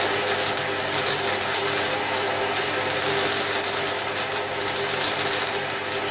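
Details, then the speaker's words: MIG welding 3 mm (1/8 in) metal at maximum voltage, shielding gas about 3 L/min, wire speed set correctly; steady crisp crackling sizzle, even and unbroken, the desired sound (banging would mean too little gas); normal MIG weld sizzle. "you could hear that crackling sound that's the sound that you want"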